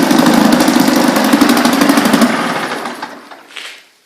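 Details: 1976 Ted Williams Sears ESKA Gamefisher 7.5 hp air-cooled Tecumseh two-stroke outboard, carb and fuel lines redone, in neutral after a little burst: quick, even popping about three beats a second, no misses, then trails off quietly; idling cleanly.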